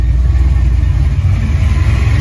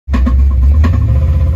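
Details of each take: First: Ford 5.0 302 V8 after refitting a roller rocker that had come off from improper installation: smooth deep idle, even low rumble, no valvetrain ticking or knocking; back to normal, quiet, no lifter noise. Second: Ford 5.0 302 V8: loud lumpy idle with sharp ticks about every half second over the rumble, feared as rod knock; actually a roller rocker came off from improper installation and an under-tightened Allen key lock.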